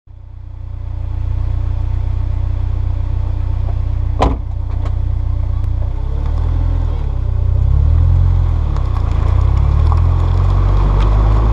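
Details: Honda S2000 moving and turning right, sharp clicks from the rear wheel over low road and engine rumble.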